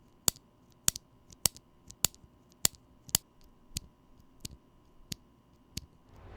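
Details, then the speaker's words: Holy Panda switch, lubed, with Korean Sprit 63 g springs: evenly spaced crisp clacks about every half second, clean decay, no ringing tail; normal keystroke with no spring ping. "with the korean sprit 63 gram springs i used they feel slightly lighter than with the stock ones and i'm happy to report that properly lubed these springs produce no ping that i could easily detect"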